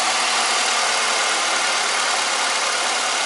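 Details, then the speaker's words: 1998 Ford Escort, first start after an intake valve seat failure with piston damage, with a rebuilt head and new timing belt installed: steady, even idle with a smooth hiss, no knocks, misses or leaks; running normally. "well we got a run in it's pretty good no leaks things real pretty smooth I guess first project is done"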